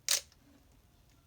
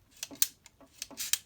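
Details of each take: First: Minolta XE-5 35mm SLR with 50mm f/1.7 lens stopped down to f/16, shutter fired at 1/1000 s: one crisp, quick click with no drag or bounce; the shutter fires cleanly. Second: Minolta XE-5 with 50mm f/1.7 lens, aperture ring swung back and forth: thin, high, clicky rasps about once a second with a faint dry squeak from the aperture follower, which needs lubrication or repair.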